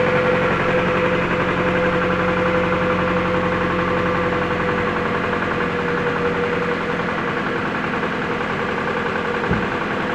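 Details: 2014 Jeep Patriot, 14k: rapid, fairly regular knock about four beats a second at idle; rod knock after a quick oil change left the oil filter loose.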